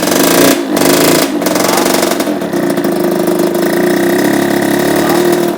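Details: 1987 Kawasaki KX80 two-stroke after carburetor cleaning for a stuck float pouring fuel: loud buzzy note revving and settling to a steady tone after a couple of blips; the engine now runs.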